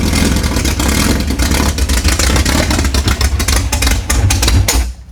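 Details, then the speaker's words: Recently built Type 4 Volkswagen/Porsche flat-four on a test stand at first fire, carburetor unused over 5 years. Crisp, even exhaust note picks up smoothly under a few blips, then dies cleanly as fuel runs out. Healthy engine. "Sounds aggressive. Isn't that >> That sounds good. Sounds good."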